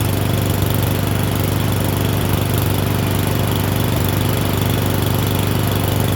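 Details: Murray Select 30" riding mower test-driven up and down a driveway: loud, even low-pitched drone with a steady rapid pulse, no misses or knocks; running okay, a little better, though the owner notes carburetor and gas tank issues.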